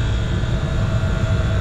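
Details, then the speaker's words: York packaged rooftop unit being serviced for not cooling: steady low hum with even fan rush and no knocks as the first-stage compressor runs smoothly, with two of four condenser fans spinning. "all right so we got this compressor running right now so the first stage kicked on that's a beautiful thing"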